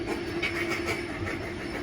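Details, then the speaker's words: Kone high-rise elevator, JW Marriott Indianapolis, riding in the car to the 22nd floor: intermittent high squeals and scraping over a steady travel rumble; the uploader suspects the counterweight; unconfirmed. "That doesn't even make sense. How can this make that much noise?"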